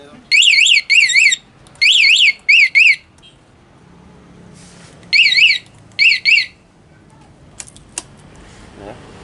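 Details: Honda Beat FI ESF 2019 scooter with a newly installed remote alarm, its pink wire jumpered to the blue/yellow pulser wire under the seat near the throttle body: shaking the bike triggers a loud warbling siren in short repeating bursts; alarm working normally.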